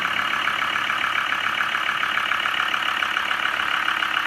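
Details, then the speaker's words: Land Rover Discovery 2 TD5 diesel, in neutral after the starter was freed with a hammer. Owner suspected bottom-end failure, but it idles smooth and even with no ticking or misses. "Sounds beautiful, actually. Smooth as you like."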